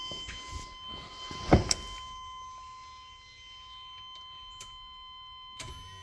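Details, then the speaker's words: 1994 Chevy pickup fuel pump assembly out of the tank, on the stock plug with a temporary ground, key on: a steady, even high whine holding its pitch, a healthy new electric fuel pump; the 28-year-old in-tank pump had failed. "so what's playing is I'm gonna go in there and hit key and listen for the wine of the fuel pump so let's hit the key and see if we can hear anything"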